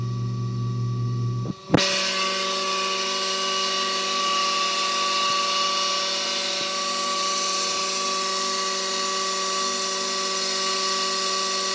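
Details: Pool pump motor with bad bearings: a very loud, harsh, drill-like screech holds steady over the motor, a motor bearing whine.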